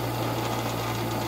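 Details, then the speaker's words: Black & Decker Model 74 8-inch bench grinder motor, test-run with the switch bypassed: a steady low mains hum with a gritty rasping rattle over it at constant speed; the motor works but its bearings are noisy. "it's working! The bearings are a bit noisy though."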